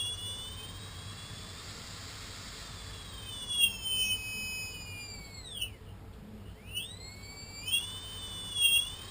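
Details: Multirotor Tarot 4006 motors, apparently not genuine, spun around 40–50% hover throttle: a thin, loud high-pitched whine rising and falling with motor speed; high-pitched motor whine, probably from bad bearings (suspected, not confirmed).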